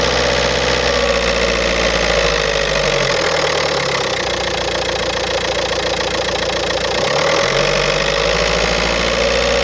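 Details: 2007 VW Golf Trendline 1.9 diesel (BLS, 77 kW/105 PS, 240,050 km) starts and idles with a loose, uneven metallic rattle about three per second over the clatter, from a defective dual-mass flywheel.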